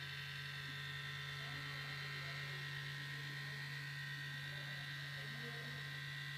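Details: MacBook Pro at light load, not doing anything processor-intensive: steady loud low buzz with faint high whine; cause unknown.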